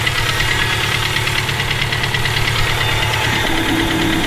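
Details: Subaru EJ257 at idle, heard for about 17k miles since purchase: a sharp metallic knock of about three raps a second in time with the engine, over a steady hum. The owner suspects rod knock, a spun bearing or valve lash.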